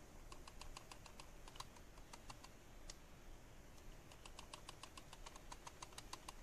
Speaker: you are probably wondering what's causing that weird not to noise and yeah that's the optical lens that is under the sensor and it's not tied down properly